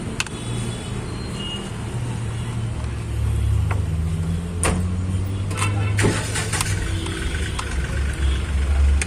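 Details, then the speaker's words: Volkswagen Polo 1.2 MPI with low pickup and jerking: low engine rumble stumbling with irregular dips as cylinder 2 misfires; ignition coil or coil wire suspected, spark plugs worn. "तो उसका दो number cylinder miss fire हो रहा है उसके वजह से इसका पिकअप कैसी है और झटके लेने का"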